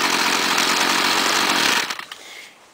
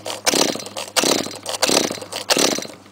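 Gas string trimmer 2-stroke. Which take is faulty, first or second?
second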